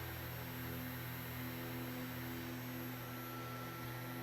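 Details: Crosley SCR-284A radio's PE-104 vibrator power supply after a failed selenium filament rectifier was replaced with a silicon diode bridge: steady low buzz with ringing edge during dead-short test, delivering 1.3 A; working normally.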